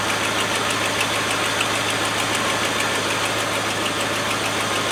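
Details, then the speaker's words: Land Rover 110 V8 idling warm, gauge about halfway, thermostat not yet open: smooth even idle with light quick patter, no knocks, misses or rattles, "like a little sewing machine". Normal idle. "Like a little sewing machine, isn't it? With Singer on the top."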